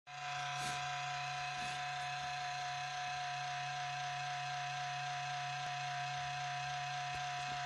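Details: HP Pavilion 15-209tx laptop, 4 years old, i7-5500U, GeForce 840M, 1TB HDD, cleaned a month earlier: at boot a steady whir with low hum and higher buzz, louder and longer than before, quieting after a while; likely fan or drive.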